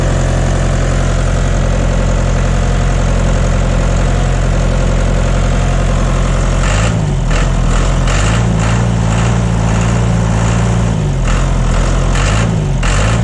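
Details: John Deere 2030 tractor diesel just after refitting overhauled, calibrated Stanadyne/Roosa Master injection pump, cold day, not warmed up: deep steady idle thump wavering slightly midway, no misses or knocks, burning clean, no blue smoke.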